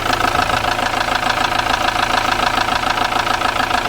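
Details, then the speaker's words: Ford Transit Mk7 diesel van bought as spares or repairs, idling after the oil was topped up: knocking much reduced but a sharp, even tapping three or four times a second persists from the top end, with some black smoke; valvetrain tapping. "She's still tapping a bit, mind, guys, isn't she?"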